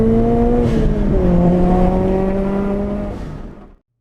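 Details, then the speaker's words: Turbo Scion FRS (86 platform flat engine) on test drive after diagnosing power loss and changing spark plugs: clean steady climb through the gears, no stumble or misfire, pulling strongly then fading away; AFR and fuel trims correct, power restored, healthy acceleration. "Alright, with those test runs, it shows we're back in action. Car's running great, the AFR is where it should be, the short and long term fuel trims are correct, and all that missing power is now back."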